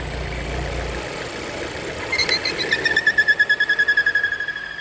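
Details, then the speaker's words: 2017 Volvo V40 2.0 petrol idling with the oil cap off: a high whistle near 1.8 kHz pulsing about three times a second, strong suction at the cap. A blocked PCV valve, linked to loud squealing and revs rising by themselves. "Just hear all the suction from the cap there. That's just a quite clear sign that the valve's blocked."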